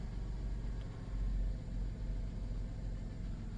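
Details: 1997 Dodge Grand Caravan SE, abandoned over 4 years with unknown mileage, now repaired: after a cold start it settles into a low, even, smooth idle rumble with no knocks or ticks, a healthy idle.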